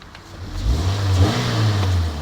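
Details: Toyota-engined Yaris, exhaust recently sorted, at idle and then revved: a clean note climbs smoothly from idle and settles back, with no rattles, blowing or misfires. Healthy rev.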